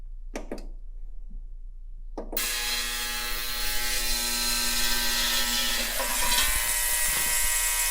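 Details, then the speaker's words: Ultrasonic cleaner on a 30-minute cycle, cleaning Sea Foam-soaked carburetor parts from a Craftsman pressure washer's 5.5hp Briggs & Stratton Intek 190: a couple of clicks, then a harsh, steady, even buzz. Normal operation. "Tomorrow, I'll drop this in the ultrasonic cleaner. I don't want to do it tonight. It's late, close to 11 o'clock. So I don't want to wake anybody up. That thing makes a very annoying buzzing sound."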